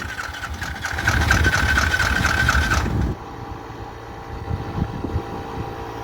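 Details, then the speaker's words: Yamaha Grizzly 700 ATV catches, runs rough and uneven about three seconds, then dies with terrible noises; clutch being checked as a possible noise source, cause not found. "starts up and then she dies. Makes some terrible noises."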